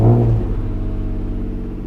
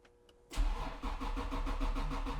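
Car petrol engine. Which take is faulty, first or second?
second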